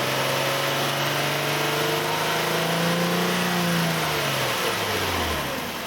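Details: Nissan Elgrand E51 (ME51, 2008, 2.5L, about 90,000 km) at mid revs with a droning hum that falls away as revs drop. The odd noise occurs with the AC compressor running from about 2000–2500 rpm, has lasted about 3 years and is absent when the compressor is off; its cause is unknown.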